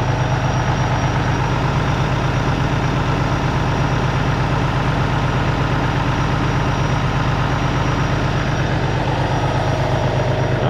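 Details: Peterbilt ISX Cummins CM2250 idling after a front structure leak repair, now not leaking, warming up before an oil and filter change: an even, steady diesel idle with a smooth low rumble and no knocks or misses; healthy.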